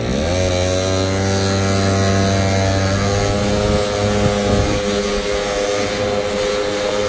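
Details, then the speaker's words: Scooter, fully warmed up and running cleanly, choke turned back on: steady drone then sags and stumbles without picking up cleanly; rich, boggy running from choke left on when warm. "go ahead and turn that choke back on so I'm going to open it up so now the chok's in the open position all right oh already pretty"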